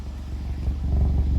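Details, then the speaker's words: 2015 VW Mk7 GTI (EA888) after installing a coil grounding kit: low, steady, even idle with no misses or ticks; seems slightly more consistent, owner hoped it might reduce occasional knock. "It's hard to tell, but it sounds like it's a little bit more consistent."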